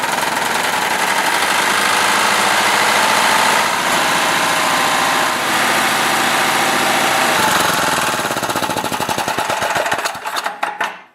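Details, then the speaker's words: Tecumseh 8 hp engine on a Mastercraft 24-inch snowblower, drive belt removed: runs loud and harsh with a rapid, uneven knock, sounding like it wants to blow, before being shut off. "I thought I'd better stop it because it does sound like it wants to blow."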